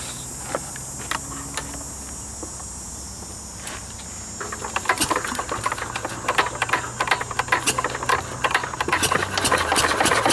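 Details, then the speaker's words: 1940s Wolseley single-cylinder engine, first run in over four years, driving a cement mixer by flat belt: sharp, quick, uneven firing pops grow busier and louder over belt slap. The engine is running too fast. "pretty good gouging in here then pretty much on on the edge I'm happy with that's running a bit fast oh shut her down a little bit"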